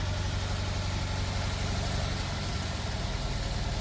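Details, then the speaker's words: Fiat 126p at idle with the clutch released and feet off the pedals: a low, steady, even chug with no knocks or misses, idling normally. "All right, and foot is off the gas. It is idling normal. Whatever. We let go of the clutch, and clutch is off. Feet are off the pedals. It is idling fine."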